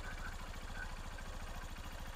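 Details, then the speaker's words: Honda TMX Supremo full-wave motorcycle, mic near engine, with charging system working properly: small single-cylinder idles with an even, quick low patter, no misses or knocks; smooth, refined idle. "Tapos pagka nagcha-charge na siya, pag okay yung charging, isa pa. Okay yung charging nga, yan o."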